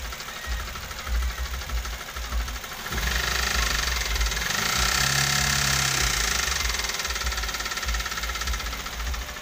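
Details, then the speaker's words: Toyota Avanza (older-style engine) with complaint of rough, diesel-like engine noise: hollow knock about 3–4 per second over the idle, persisting through a brief rev, loud at the side of the block; diagnosed as piston slap, engine teardown needed. "tapi kalau dia ngeflek atau benturan piston sama dinding silinder itu biasanya olinya tidak bercampur samagram ya suaranya seperti ketemu"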